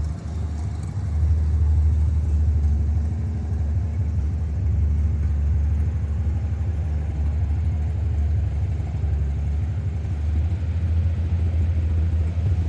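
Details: International 1-ton flatbed (stated 1947 or 1949), revived after about 50-53 years, 12-volt with replacement coil lacking required resistor; deep steady low rumble holding an even note, no knocks or misses; six running smooth, normal.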